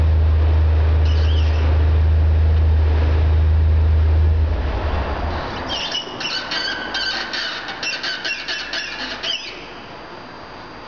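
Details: SRT4 OEM clutch at 13,000 miles: a heavy low rumble gives way to a quick run of high, chirpy squeaks from the clutch.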